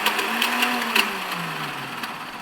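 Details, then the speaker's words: 1971 Honda CL350 K3 Scrambler twin, new battery and used starter solenoid fitted: a high electric whir spins up and fades with no engine cranking beats. The starter turns the chain to the crankshaft rotor but the starter clutch behind the rotor is not engaging. "so what what you're hear in there is the starter is spinning it's spinning the chain that goes down to the rotor that's connected to the crankshaft but down inside there on the back side of that rotor there's a clutch mechanism and that clutch clearly is not engaging"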